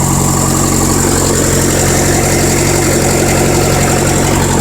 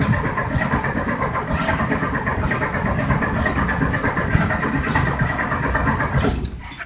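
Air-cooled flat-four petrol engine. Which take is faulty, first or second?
second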